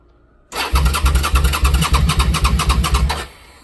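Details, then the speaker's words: Engine with a new battery, starting relay jumped: starter cranks at an even four beats a second and never catches, even with throttle pulled; owner suspects it may be out of gas. "even I pull down on the throttle just not happening"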